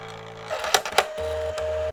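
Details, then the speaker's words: Kodak Advantix FD300 APS film drive, microphone moved close to the machine: short steady motor tones and a low hum with a few clicks as the film advances; normal scanning. "I'll move the microphone closer to machine for an indication of its beautiful tones"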